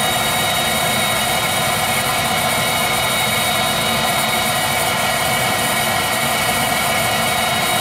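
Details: Viessmann Vitodens 200-W WB2B35 condensing boiler, about 2011, about five years in service: steady fan rush and firm even burner roar, no popping or surging; burner ignited, operating normally, despite an intermittent non-heating fault without codes.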